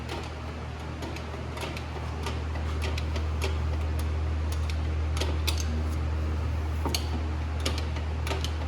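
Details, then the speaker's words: 2007-2010 Chevy Cobalt rear drum brake: sharp dry clicks, about three a second, as the self-adjuster star wheel is wound out with the drum off over a steady shop hum; tone changes as shoes tighten. "And you can adjust this with the drum off and get it tight close, because sometimes there's a long way that you're going and you can hear it clicking."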